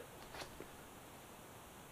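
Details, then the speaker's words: Kawasaki Ninja ZX636 front wheel hand-spun with the brake calipers removed: nearly silent, only a faint hiss and light tick, no scraping or grinding. The calipers were the cause of the earlier front-end noise. "look at that no sound no grinding so these calipers are kind of the cause of all that noise in the front end"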